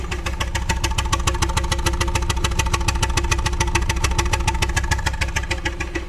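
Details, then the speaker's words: 2001 Pontiac Grand Am first start in months, cylinder 1 misfire code, spark plugs and one ignition coil already replaced: rough, lumpy chuffing idle, knocking hard, running on two cylinders per the owner, check engine light flashing. "we'll check this out it's knocking real hard"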